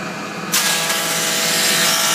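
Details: Old Parks cast iron surface planer, readjusted after transport, switched on: it starts at once into an even, high-pitched whirr that holds smooth and steady with no rattle; running properly.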